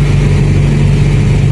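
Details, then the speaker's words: Toyota Corolla 2E carbureted engine, cold start with cold-start idle-up, no throttle pressed: settles straight to a steady ~1,000 rpm raised idle, smooth and even with no misses or knocks; normal cold fast idle that drops automatically after 3–4 minutes. "I-start natin walang apak-apak sa gas yan walang apak-apak sa gas. Kita nyo pag start mo 1,000 agad yung"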